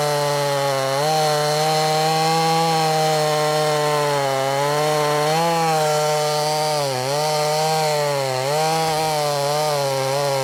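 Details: Brand new, unbroken-in Wemars 6220 clone chainsaw, carburettor leaned from rich factory tune: loud high-revving two-stroke howl dipping and recovering in wood, pulling cleanly without bogging; normal healthy cutting under load.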